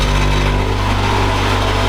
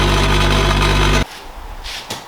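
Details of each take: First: Honda Integra idling with aftermarket twin-loop muffler: harsh metallic buzzing rattle that stops when the muffler is held by hand; broken muffler joint needing welding. Exhaust muffler rattle at idle. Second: Honda Integra idling after fixing its holed, putty-patched muffler: briefly quiet, restarts with a quick rev, then even, rattle-free exhaust note; normal exhaust after repair.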